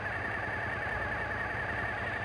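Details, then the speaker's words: Suzuki TL1000S V-twin idling evenly at about 1200 rpm spec after throttle position sensor setting and throttle body synchronisation; no hunting, misses or surges, settled healthy idle. "check our idle we're sitting good each time I make an adjustment I rev the engine slightly and then allow it to idle back down"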